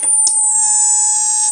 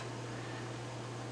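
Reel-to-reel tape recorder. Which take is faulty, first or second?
first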